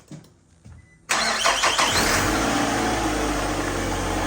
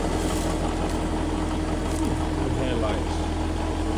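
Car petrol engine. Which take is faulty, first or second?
second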